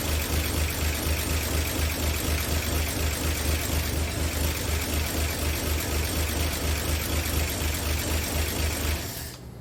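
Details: 1959 NAPCO Chevy Apache 1-ton, freshly rebuilt 235 six-cylinder at first startup after oil prime: oil pressure up, no leaks, even steady idle with no knocks or misses, then shutdown; normal idle.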